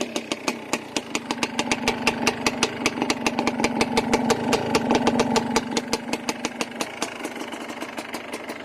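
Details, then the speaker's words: Yamaha Blaster two-stroke ATV, smoking that needs clearing out, with a ruined rear carrier bearing and needing a new chain (not engine): evenly spaced pops at about 158 a minute with a light ringing buzz, steady idle, no knock; normal idle. "man i really wish i could ride it because see how much smoking i need to clear it out"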